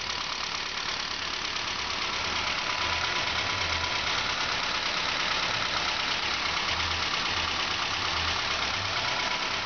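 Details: Saab 9-5 2.0 turbo, first start after fitting a fully rebuilt B205E engine: steady, even idle with a quick regular valvetrain tick and no knocks or misses; healthy normal idle.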